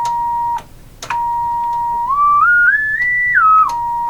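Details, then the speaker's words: General Electric KL60 tube radio, signal generator fed to output stage: clean, loud test tone stepping up and down in pitch without distortion or hum; output stage works, fault between preamp and output tube. "so our problem lies somehow between the preamp tube and the output tube cuz this sounds pretty good"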